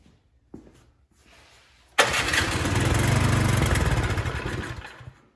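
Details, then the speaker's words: Cub Cadet 2X26 snow blower (engine 675-WUB) with good compression and fuel squirted into the spark plug hole: it catches, runs raggedly about three seconds, then dies. A carburetor problem that draining the bowl didn't fix. "Well, there you have it. Just like I suspected, is that we have a carburetor problem that cannot be repaired by draining the carb bowl."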